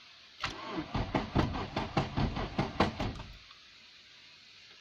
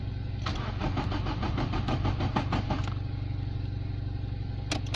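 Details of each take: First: Nissan Bluebird after head gasket replacement, fresh oil, coil off, cranking to build oil pressure: uneven, harsh starter surges about two or three per second for three seconds; horrible noise, cause not yet found. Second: Nissan Bluebird after head gasket replacement, cranked coil-off to build oil pressure: even starter chug about five compressions a second for nearly three seconds, no scraping or clunks; normal cranking.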